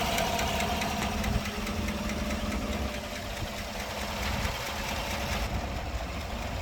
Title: 2014 Chevrolet Silverado 5.3l engine ticking noise P0340 P0341 Camshaft Position Sensor #karcheckz